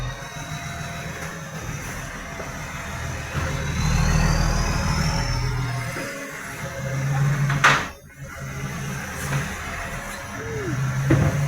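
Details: Diesel truck with massive exhaust leak: very loud, deep rumble with rapid puffing chuff, about four beats a second, rising with revs.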